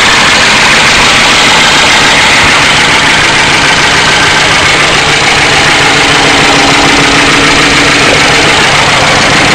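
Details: 1992 Ford Crown Victoria 4.6L at idle: loud, steady, busy clatter that never settles; owner suspects low oil pressure and plans to replace the oil pump, cause unconfirmed.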